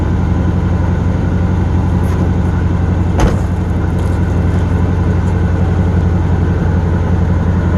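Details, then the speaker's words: 1977 Pontiac Grand LeMans engine stuck on a fast, steady high idle that does not settle after a throttle blip. "not so we listen to this thing for a while"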